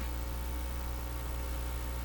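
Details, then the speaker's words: National HRO receiver (serial 124B) at about 200 V B+ and 50 mA, switched to an outdoor antenna: a steady, even low buzz with no rhythm, mains hum picked up on the antenna line. "there often is a loud buzz on the uh antenna antenna line"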